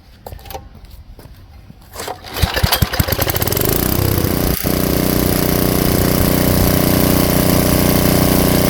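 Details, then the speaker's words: Tecumseh engine swapped onto an Ariens Jet rototiller, with the low-speed screw turned in and backed out one turn: a few pulls, then it catches and settles into a steady, even idle without hunting or stalling. "and then that should smooth out the idle I should be able to idle this engine without stalling so let's fire it up and give it a try"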